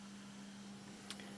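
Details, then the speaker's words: Илеть 102-1 tape recorder, restored power amplifier with 4-ohm load/test speakers: pressing the speaker button gives steady static-like hiss with faint low hum in one channel, independent of volume and balance; amplifier channel hiss. "И что я слышу, когда нажимаю кнопку АС? У меня в правом канале вот этот начинает в кавычках сыпать снегом."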